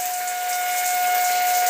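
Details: Shower: loud, steady high-pitched whistle over rushing water hiss, caused by a worn, defective rubber washer in the supply valve.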